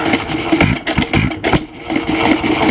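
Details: 1926 Nelson Brothers hit-and-miss single-cylinder engine, oiler on, fuel knob turned up slightly: irregular puffs and firing bursts with light mechanical clatter between; running normally again after small adjustments.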